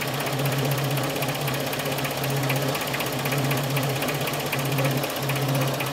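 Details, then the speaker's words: 2000 K11 Nissan Micra Sport petrol, stored 10 years, idling: rough, uneven, misfiring idle with a rattly clatter and a drone that drops out; won't control idle, idle control valve suspected. "but it's still not running right is it it looks great but it runs like a Bag of Nails let's just recap not controlling its idle"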